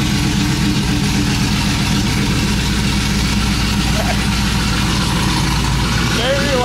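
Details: Cammed 5.3 V8 Chevrolet Silverado with new long tube headers, no exhaust behind them yet, first start: very loud, lumpy, choppy idle with a steady deep rumble and an even beat, oils burning off the exhaust; running healthy.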